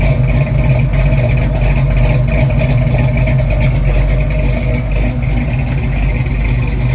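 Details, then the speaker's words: Ford 289-based 331 stroker V8 (Mustang) after rebuild, second start-up with choke on and idle stop cranked well in: loud, lumpy, wavering idle that wants to die; oil pressure fine, water temp up; mixture screws need adjusting; rough idle. "okay it's island now [Music] wants to die [Music] got oil pressure water temp is up now definitely needs the idle fixed"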